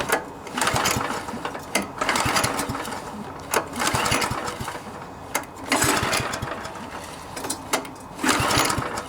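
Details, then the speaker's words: MTD Yard Machines front-tine tiller, 139cc OHV engine, won't start, choke on: repeated rope pulls spin it over but it never fires; suspected carburetor/fuel system needing cleaning, possibly new spark plug. "Nope. So I'm assuming we have something wrong with the carburetor. More than likely it just needs the fuel system cleaned out, carburetor cleaned out, new spark plug, that sort of thing."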